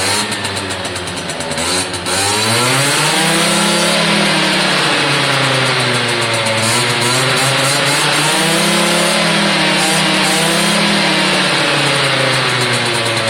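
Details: Suzuki AP50 two-stroke after carb clean, air box on, throttle worked by hand through part and full opening: buzzy revs rise and fall cleanly with no stumble; smooth revving once choke sorted out.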